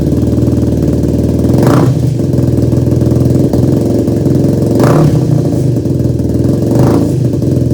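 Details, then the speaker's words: Yamaha YFZ450 quad rebuild, first start after new carb mid-body jets, CDI, coil and plug, no choke: single thumps unevenly with stumbles and brief revs, never settling to a clean idle; rough running, owner suspects jetting and plans to pull carb and rejet. "All right, folks, well, that wasn't a very good first start here. So I'm not sure what's wrong with it. I think we're gonna have to pull the carb and we're gonna have to rejet some things."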